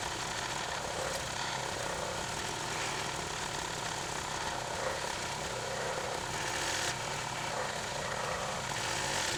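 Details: Clarke 20-ton log splitter after its original engine was replaced with a 5 hp engine, splitting bigger logs: a steady, even buzz with no hunting or bogging. It runs smoothly and normally.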